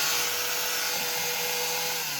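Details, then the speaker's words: Cloth cutting machine with customer complaint that it runs but blade won't turn: steady high-pitched motor whir, no load change or cutting sound; motor runs but blade stays still, gear, coupling or internal drive fault suspected. "Machine की आवाज़ आ रही है यानी start है, blade बिल्कुल नहीं घूमा।"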